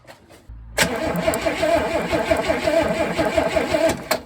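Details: 1964 Pontiac Tempest, start attempt after sitting three years, camera above heater hoses, ignition points being sanded: slow, uneven starter churning under three turns a second for over three seconds, never catches; cause suspected, not confirmed.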